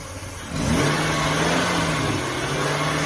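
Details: 2005 Ford Taurus, ignition coil recently replaced: engine catches and flares, then hunts up and down at idle with a faint hiss of air, owner suspects an air leak; idle air control valve in question, cause unconfirmed.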